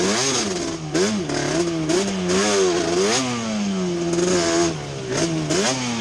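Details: Yamaha Banshee two-stroke twin ATV after a misfire chase (new NGK plug caps, temporary eBay coil didn't cure it): carb needles moved back to middle position, crisp revs rising and falling smoothly with throttle, no missing; miss gone, running normally.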